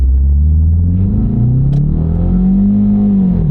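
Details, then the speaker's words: Ford automatic under hard acceleration on road test, transmission codes previously cleared; engine rpm flares with no gain and a short crunch, transmission slipping on the 1-2 shift, first gear blocked by protect mode. "yeah I can feel it slipping there it is yes first gear is blocked to protect mode"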